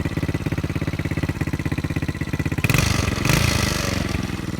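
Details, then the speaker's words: 125 four-wheeler quad, newly acquired and possibly rebuilt, needing a little more work; the small single thumps at a steady idle around three beats a second, then picks up with a throttle blip, sounding healthy. "She sound good, don't she? Yeah, she sound good. I gotta do a little more work to it though,"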